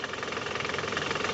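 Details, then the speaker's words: Toyota Camry engine before repair, in reverse (R): rough, rapid rattling drone pulsing with vibration from the balancer shaft and engine mounting area; upper mounting cracked and shaking, noise disappears in neutral. Balancer shaft and upper mount to be replaced. "Ini kan ada bunyi abnormal ya dari area engine mounting dan balance resap ya."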